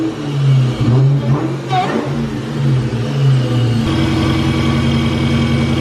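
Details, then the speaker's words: Cobra after new belt fitted: engine revs then settles to steady idle with a faint dry whir, a rub up front; owner thinks it's the alternator again, wondering if a bearing damaged by over-tightening. "Alright guys, so that noise, I was having a hard time like troubleshooting it, figuring out where it's coming from. I'm pretty sure I found out where it's coming from. I think it's the alternator again."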